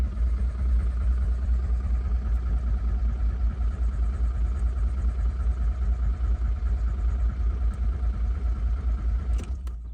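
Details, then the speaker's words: Car bought unseen, air filter housing refitted, earlier started on brake cleaner: steady low cranking churn for ten seconds with a loud constant fuel pump hum, never firing; no start despite working pump. "U: I hear the fuel pump R: Yeah, that works, it's loud as heck"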